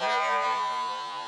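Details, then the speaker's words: Kingroon KP3S Pro 3D printer running a built-in test print before bed leveling, with the belts touching the bed. A loud wavering whine that warbles in pitch as the head moves, a scary-sounding motor noise of unclear cause. "Ooh, geez, that's scary sounding."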